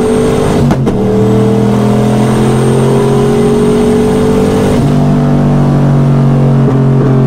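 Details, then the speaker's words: Boosted Trans Am at the track after break-in, with new lifters and stock-length hardened pushrods: flat, buzzing high-rev drone that stumbles instead of climbing. It sounds like valve float, dead past about 6200–6300 rpm as boost drops. Owner suspects pushrods too short. "you just hear it sounds like valve float so it just hits about 62 63 past that it just does nothing and boost comes down"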